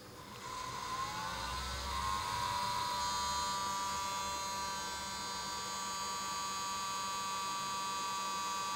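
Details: Xtreamer media player, three months old, fan set to manual 60: at startup fan spins up into high whirring, grating buzz with steady whine tones, a grinding noise that stops once the main menu shows and fan returns to normal speed.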